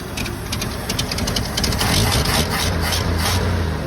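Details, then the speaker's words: 1975 Ford F250 rotting amongst the trees, run briefly with little coolant: an old engine loping unevenly at idle that really smooths out as it runs, then turns choppy again; rough idle smoothing out. "it's getting smoother and smoother thank you to witness it's unreal how it smoothed out it's getting choppy again that is cool"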